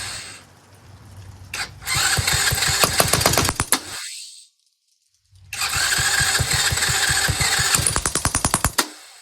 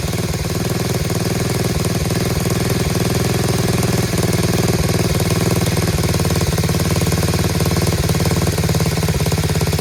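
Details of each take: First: Chinese Tao Tao 125cc ATV quad with new carburetor, on choke: small single revs and pops unevenly, fading and dying twice when throttle is released; idle speed set too low, idle screw to be turned in half a turn. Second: Chinese Tao Tao 125cc ATV quad with new carburetor, idle screw turned in half a turn: steady, even, quiet low idle with a regular soft pulse, running on its own with no knocks or misses; normal idle.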